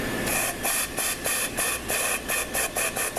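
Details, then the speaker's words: ZF5HP24 transmission (no reverse when hot) on the bench, C clutch circuit air-checked at about 150 psi: steady pulsing air hiss with no firm apply. Air escapes past a slightly worn bushing. "Okay, the clutch isn't even applying. Well, a little bit now. And I'm pumping about 150 pounds of air in there."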